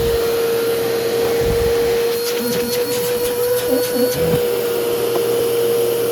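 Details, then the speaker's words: Old bagged Powerglide Ultra vacuum, stored in damp conditions, always loud: steady motor hum with rough crackly hiss underneath; runs okay, but very dirty armature, commutator needing polishing and carbon brushes cause the noise. "The commutator definitely needs to be polished in this thing. It's really bad. That kind of noise kind of thing is because of the carbon brushes. The armature is very dirty. It causes it to make that kind of noise."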